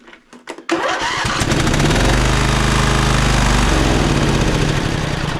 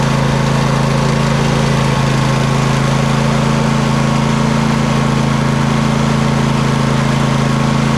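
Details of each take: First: Poulan Pro 700EX riding mower twin with one spark plug wire pulled: a quick start, then a rough, deep chugging idle on the other cylinder alone, proving that cylinder has spark, working valves and compression. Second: Poulan Pro 700EX riding mower twin, both spark plugs reconnected after single-cylinder tests: steady even twin-cylinder idle, no misses or pops; smoke burning off long-unused cylinder, working properly.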